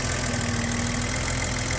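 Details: BMW E32 735iL idling with uneven speed and brief stumbles, like a misfire; rough idle later traced to incorrectly gapped spark plugs, engine smoother after correct gap.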